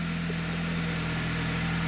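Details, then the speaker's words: Audi S3 with a swapped-in VW Golf R engine, first start after timing chain rebuild, not yet at temperature; smooth, even low idle with steady hum, no knocks, misses or rattles. "well the engine ran really nice and smooth then um so gamble has possibly paid off"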